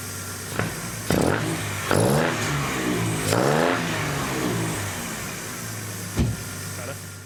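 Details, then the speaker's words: MGB GT with swapped Jaguar S-Type 3.0 AJ30 V6, warming up at tick-over: several blips, pickup slightly flat and hesitant; owner says it runs a bit lean on acceleration, awaiting proper tune. "It seems to be running a bit lean when you when you give it some accelerator. So, that's what I need to get the Dave at Emerald to sort out when you when we tune it."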